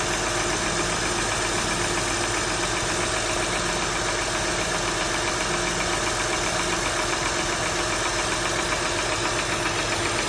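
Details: 2004 TL engine at cold idle; steady tapping knock at about two to three per second, heard most at the front and back of the cylinder. Owner wonders whether valve adjustment is needed; top-end knock at idle.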